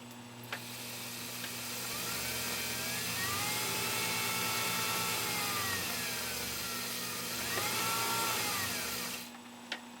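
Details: Husqvarna Viking 19E sewing machine run with the foot control: a smooth electric whir that climbs and falls in pitch with the pedal, even and free of rubbing or knocks, indicating a healthy motor.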